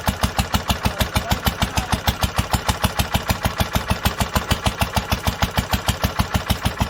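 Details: 1946 International Harvester LBB 3-5 hp water-cooled single-cylinder, first cold start after long storage under cover, started after choking twice; crisp evenly spaced exhaust pops about two per second, no skips: normal smooth running.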